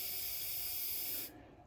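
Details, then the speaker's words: Compressed air leak at the wastegate fitting on a 60mm VS Racing wastegate, passenger exhaust manifold side, turbo EFI Ford 460: sharp steady hiss cutting off when air is shut, found with bubble test; has been leaking a while. "from the fitting. So that's been leaking for a while."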